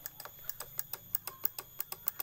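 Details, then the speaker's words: Honda BeAT FI scooter with ACG starter: rapid sharp relay clicking near the battery, about six per second, with no cranking; a known-good battery gave the same result; traced to the relay output to the ACG system or its control unit. "kemudian yang bermasalah adalah keluaran relay menuju ke sistem acg-nya ataupun"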